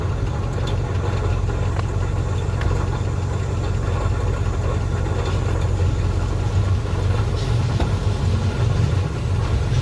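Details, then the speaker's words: 1968 Chevrolet C-20 Custom Camper V8 running on an electric fuel pump through rubber hose from the tank to the carburetor, after fuel line work, not yet fully warm. Smooth, even low idle burble with no stumbling, knocks or surging, and oil pressure is good. "um so sitting here look at him just sitting here running like she's been doing it forever"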